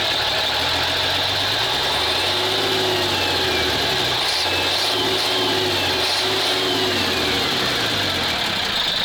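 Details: Praga V3S 6x6 truck diesel, fuel pump turned fully the opposite way, unloaded: it runs loud and rough with a wavering beat and hunting revs. The pump needs fixing; the owner hopes it will run better under load.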